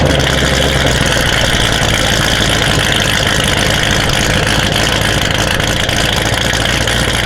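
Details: Built C7 Corvette Z06 V8 with a big cam and low- and high-pressure fuel pumps, at about 70°F, started and idling, head-cam recording: loud, steady idle with an uneven, choppy low lope; the engine sounds healthy.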